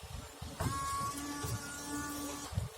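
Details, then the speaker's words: 1997–2005 windshield washer pump, tested after fuses checked OK: steady low hum with a thin whine for about two seconds, then stops; the pump runs evenly and is working again. "So as you can see, it's working now."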